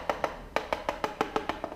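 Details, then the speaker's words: Peugeot 103 moped steel fuel tank tapped with a pen sounds hollow, dead and plastic-like; the pen then pierced it, showing the tank rusted through. "En fait, ça fait un bruit de plastique. Pourquoi ça fait un bruit de plastique?"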